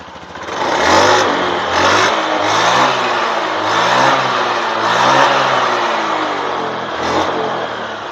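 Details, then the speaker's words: Honda Beat FI injected scooter after manual ECU reset: clean rev bursts climb and fall back crisply with no stumble, lag or hesitation; engine responds smoothly. Normal revving. "ya oke teman-teman ya suaranya pun langsam enak terus Engak ngeleg enggak Del"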